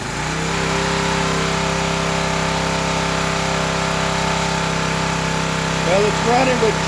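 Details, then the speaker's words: Old Craftsman pressure washer engine, unrun about 10–12 years, after carb cleaner: small single-cylinder settles into a fast, steady chug on choke and dies when the choke is taken off. "choke on and when I take the choke off it's dying it does run so that's a plus for me"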